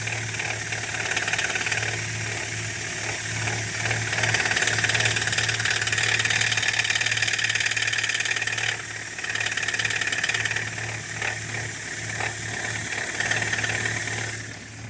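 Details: BMW E87 118i, N46B20 engine, cold start: rapid, even metallic clatter over idle like a bucket of nails, fading after the engine runs briefly, recurring every cold start; hydraulic lifter tick.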